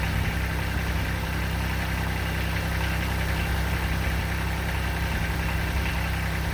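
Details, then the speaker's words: 2006 Kubota BX23D with D905 three-cylinder diesel, just after valve adjustment, four-second glow plug start: even, steady idle with soft regular clatter, no misses or loud knocks; sounds much better, healthy. "oh it sounds much better"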